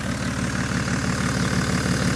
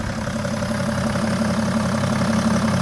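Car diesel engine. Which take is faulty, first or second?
first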